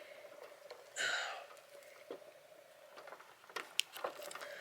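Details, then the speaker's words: Snowman light display motor after oiling: faint, steady mid-pitched hum under handling taps, no squeal or grinding; much quieter now, normal quiet running. "yep okay well she's a lot quieter since I did all that oiling there"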